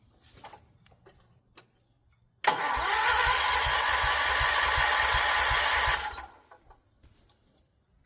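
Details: John Deere 314 garden tractor, '80s maybe, rebuilt Kohler K321 single-cylinder with automatic compression release, first start: even starter cranking about 160 compressions a minute for several seconds, never catches; fuel not yet reaching the carb, suspected.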